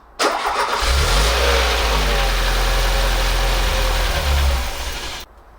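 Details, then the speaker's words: Peugeot 205 1.6 GTI, finally starting: catches quickly, runs at a fairly steady, healthy-sounding idle for about five seconds, then cuts out abruptly; starts then stalls, cause unknown. "okay i'm not quite sure why it's cutting out after a few seconds but that sounded relatively healthy i was quite happy with how the engine sounded"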